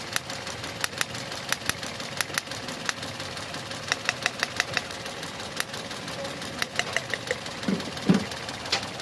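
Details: Suzuki petrol engine idling and hunting, with codes P0300 and P0201–P0204; irregular sharp ticks and stumbles as injector No. 2 intermittently cuts out, and injector No. 3 suspected of a wiring failure: misfire with unstable idle.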